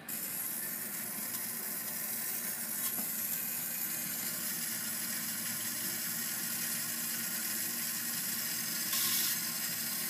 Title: Toilet make a weird noise